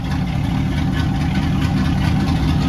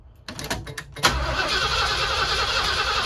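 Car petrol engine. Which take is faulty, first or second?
second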